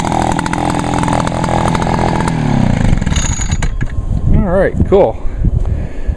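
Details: 1989/1990 Echo PB 400E backpack blower after topping up fuel (had run nearly out of gas, hard to start); strong, steady two-stroke drone holding even revs without surging, winding down cleanly at shutoff; runs perfectly, normal running.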